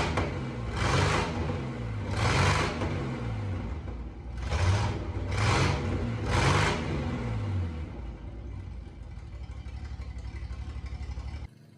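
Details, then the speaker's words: 1988 Jeep Comanche revived after years sitting, warm idle with the electric fan unhooked: loud, raspy, surging exhaust from a leak at the first bend under the cab, not the header. The engine itself sounds healthy; a radiator hose also leaks. "Uh the motor itself sounds really healthy, but the exhaust sounds terrible. All right, at this point in the video, if you're listening, you probably hear the change in tone of the engine. and it's not from the engine itself."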